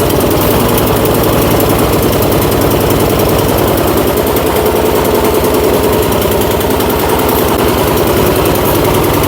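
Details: Troy-Bilt Storm 2410 snowblower single-cylinder after replacing the old carburetor with a new aftermarket one; fast, steady chug with slightly uneven, lumpy beat, running a little better but still rough.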